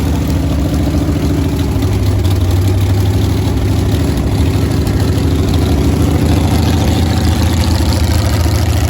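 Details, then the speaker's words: Freshly built V8 from a bare block on an engine run stand, mechanical fuel pump and carburetor: steady, even idle with a smooth low rumble, no knocks, ticks or misses; normal idle. ">> Sounds good too, right? >> Oh boy, it does sound good."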